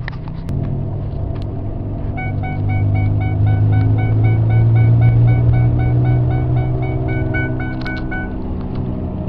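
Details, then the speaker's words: 2002 Ford Ranger 4x4, 4.0L SOHC, 137,000 miles, on a test drive: a low, steady howl under road rumble from the front end, traced to a failing driver-side front wheel bearing, which was replaced. "this is a 2002 Ford Ranger 4 liter single overhead cam pull drive and has a problem with a howling in the front end one of the wheel bearings is bad"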